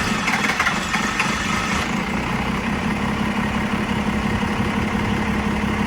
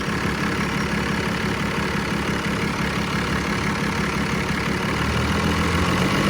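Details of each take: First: 1990 Dodge Ram D250, 12V Cummins diesel, zero blow-by: steady, churning extended crank with slow, uneven pulses that doesn't catch. Owner says this unusual hard start has never happened before. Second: 1990 Dodge Ram D250, 12V Cummins diesel: steady, even idle clatter that briefly swells and settles, no miss or knock. Zero blow-by; healthy idle.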